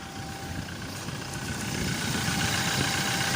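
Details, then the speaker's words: 2018 Toyota Hilux just restarted after a four-day no-start traced to the IVMS sensor, whose rubber/bracket no longer reached it, with the relay restored; steady, even idle with a constant hum, no knocks, misses or rattles: normal idle. "Sumandar na siya. So nakabalik na yung relay."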